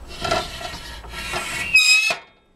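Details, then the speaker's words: Makita 2414NB miter saw while lowering the blade: dry rubbing scrapes ending in a sharp high squeak from the plastic blade guard rubbing; not heard while cutting; fix planned by mounting a plastic furniture wheel. "снова монтажная пила Makita 2414 NB будем устранять неприятный скрип возникает при опускании диска скрипит кожух"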